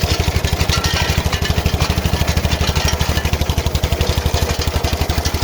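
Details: KM2 PTO-driven potato digger tested after repair on an MTZ-05 walk-behind tractor: strong, steady low chugging at about three beats a second, even rhythm, no knocks; both run normally.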